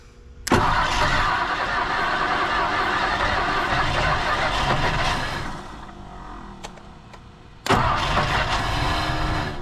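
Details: 1959 Ford Thunderbird 352 V8 parked 33 years, battery on charger, coil on, fuel fed by hand into carburetor: catches sharply, runs rough about five seconds, dies, then fires again; runs only briefly on hand-fed fuel.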